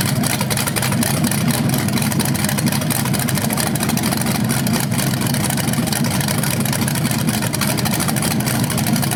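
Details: BluePrint 396 big-block crate engine for a 1970 Camaro SS, first run with headers and flywheel: loud, lumpy, even rumble with sharp exhaust pulses, no knocks or ticks; healthy, though a slightly different rev sound is noticed, unsure if headers or flywheel.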